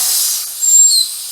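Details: Upgraded air compressor, just switched off: short steady high air hiss that swells briefly then fades with no motor running; pressure release valve venting normally after shutdown.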